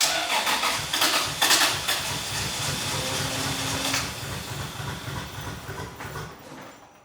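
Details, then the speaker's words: 2JZ-swapped Toyota van, engine said to have about 30,000 miles, fuel pump running but gauge showing zero pressure: cranking stumbles and sputters, briefly tries to fire, then fades; hard start, possibly bad fuel. "It's not misfiring as bad now. Right, yeah, she's coming alive. I cannot believe it. Oh, here she goes. She's waking up."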